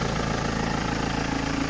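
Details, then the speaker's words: 2007 BMW 320d M Sport auto diesel, 182,000 miles, MOT advisory for loud engine: loud, busy idle with hard mechanical clatter over steady low drone, loud enough to raise voice over; cause not pinned down. "I'm actually having to raise me voice here mechanical people is that normal for one of these"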